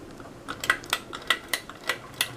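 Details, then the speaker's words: Light metallic rattling ticks at an irregular pace, about two a second, over a faint fan hum from a 52" Canarm Victorian ceiling fan floor-tested on medium speed; the motor shakes a bit and the rattle's source is unknown. "and it does the motor does shake a bit you can hear some rattling yeah like right now you can hear it a bit I don't know what it is"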